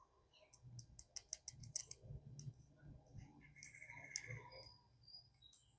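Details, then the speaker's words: Plymouth Sundance fuel injector on bench, pulsed with cheap test leads after sitting 20 years: faint sharp ticks in quick burst, partly wire arcing, then injector opens while leaking fuel; working again, spray unconfirmed. "I can hear it clicking, which is just it arcing. Maybe it is opening."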